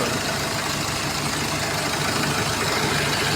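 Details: Idling engine with a steady, gritty hiss and rumble riding over the whole running sound, from a worn alternator bearing.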